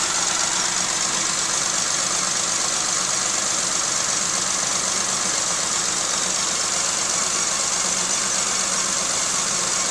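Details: 1995 Geo Metro three-cylinder with rebuilt motor and head, idling unevenly with a lumpy beat; cylinder 2 had no compression because of stuck lifters.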